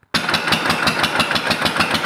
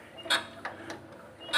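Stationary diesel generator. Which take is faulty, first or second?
first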